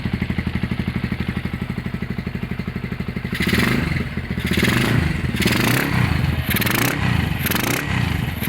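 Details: Honda GL100 (GLK 100) engine from Palembang after restoration, with CDI installed and a new tensioner blade: an even single-cylinder putter at idle, then clean throttle blips that rise and fall smoothly. Sounds healthy.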